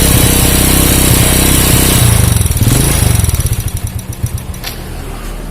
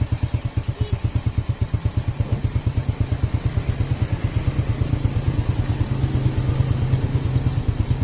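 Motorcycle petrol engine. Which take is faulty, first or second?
first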